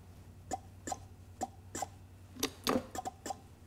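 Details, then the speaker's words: Old Mercedes 300D diesel, fifth injector on a pop tester, opening at about 1,600–1,625: crisp, short chirps, about ten in four seconds, each a clean sharp pop; all five injectors test good. "fifth and final injector come on baby sixteen hundred oh yeah at 1625 once again we're getting that little chirp listen"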